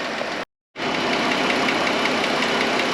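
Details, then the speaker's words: 2013 Chrysler Town and Country, Pentastar 3.6, at idle: runs well but a fast light ticking, about four per second, sits over the idle; a lifter tick, a common issue on these engines. "so runs good but tick tick tick yeah a lot of fun sound to have and actually quite a common issue on these kind of star engines"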